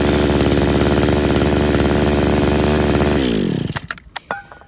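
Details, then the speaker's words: Used RedMax edger, a two-stroke bought in 2010, running on fuel dosed with Sea Foam. A steady high buzz sags and stalls; a heavy dose kills it. The owner suspects a clogged carburetor jet. "like i said you when you put a lot in there it kills it but you have to keep getting it to suck through there and hopefully if there is a clogged jet it'll it'll clean it out"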